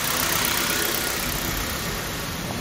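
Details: Toyota after reinstalling the cleaned original OEM idle control part in place of an aftermarket one that triggered P0505, with the MAF cleaned a week earlier: settles into a steady, even idle after a blip, no hunting or misses.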